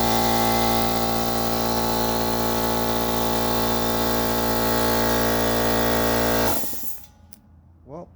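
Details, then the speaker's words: Central Pneumatic 2 hp, 8-gallon, 125 psi air compressor that struggled to start, then died in winter, after replacing the capacitor (same voltage and µF): loud steady motor and pump drone at even speed, no stalling, then it shuts off and winds down, now running normally. "looks like I have a working compressor."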